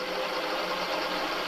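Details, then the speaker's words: Amyet e-bike with dual Bafang throttles, 1500 W controller driving the 1500 W rear hub motor for the first time, just wired up, full throttle on mode 1: steady even hum with a faint high whine, no grinding or clicks; motor runs smoothly. "But let's hear how it sounds at full throttle on mode 1. 1500 watts"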